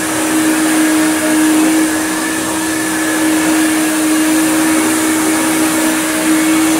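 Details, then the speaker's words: Hoover Turbopower UB088 upright vacuum (about 1996), described as new in box but broken since new with a funny noise. After repair it runs on the rug with the brush roll fitted: a steady, even motor whine with no stutter or dropouts. The whole fault was one spade connector. "Absolutely fine. Literally all its problems were just that one spade connector."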